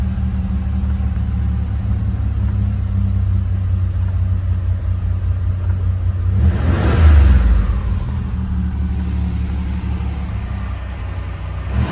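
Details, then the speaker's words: Stock 1987 Buick Grand National, 3.8 L turbo V6 (~115k on engine, 118k miles), auto overdrive: smooth deep idle, one clean rev near seven seconds, settles evenly; healthy. "Now let's hear it run. The temperament is really good on the Grand National."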